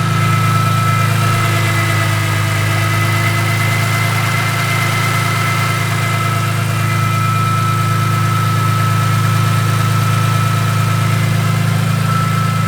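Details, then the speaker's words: BMW E46 M3 after new spark plugs, ignition coils and valve cover gasket, ratchet removed from the crank pulley: steady, even idle with smooth low hum, no knocks, ticks or misses; engine sounds healthy. "I cannot believe that that didn't cause something. That sounds a lot better without a ratchet."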